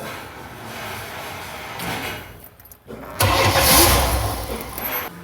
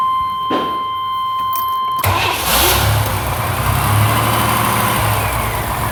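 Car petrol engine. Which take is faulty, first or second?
first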